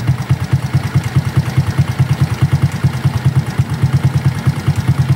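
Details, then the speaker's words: Smash Fi motorcycle at the first cold start in the morning: a steady single-cylinder idle with a light, even tak-tak tapping about twice a second. This new tick is unexplained, and the owner asks whether it is normal. "may tak tak tak tak. Oh. Normal ba yan? Yung may tak tak tak. Ayun o. Pag sa umaga, pag unang bukas mo, oh, may tak tak tak."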